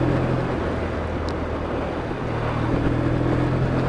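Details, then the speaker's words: Motorcycle after needle position changed to bottom slot on slide; revs pick up cleanly on throttle opening with no hesitation or dead spot, tick-over just under 1000 rpm; normal throttle response. "Yeah, it's quite responsive now. So maybe I should put my louder pipes back on now and then give it a go with them. It seems quite responsive. There's no sort of like dead spot when you open the throttle."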